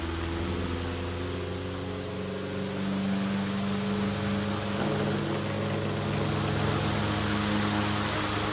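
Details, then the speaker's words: Western Electric 12 oscillating fan, old motor, starting under load: steady mains hum with wavering uneven drone, labouring and not happy but rolling; cause not yet found. "And it is starting up under load, even though it's... yeah, that's not exactly happy. But it'll roll."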